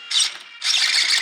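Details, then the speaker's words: Losi DBXL 1/5-scale RC truck unused over two years, powered on: two sharp high buzzing bursts without command; aged waterproof Savox steering servo glitching and shorting at slight trigger or steering movement. "But any kind of movement or slip of the trigger finger or steering finger causes it to glitch."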